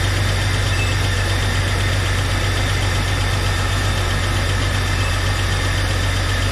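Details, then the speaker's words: 1999 Jeep Cherokee with a junkyard 4.0L inline-six, just started after installation: low, steady, even idle rumble with no tapping or misfire. Slight smoke is believed to be oil burning off the manifolds. Idling normally. "sounding pretty good a little bit of smoke coming up here i think it's just some oil burning off the goth manifolds and stuff nothing to be concerned with"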